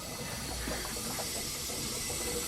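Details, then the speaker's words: Mazda RX7 turbo boost leak: steady, sharp hiss of pressurized air escaping at the intake manifold joints and down the side, suspected cause of turbo lag; homemade welds and eBay parts leaking. "in the manifold we have a leak there as well and down the side so we have got a couple of leaks that may have been added towards my lagginess of this turbo"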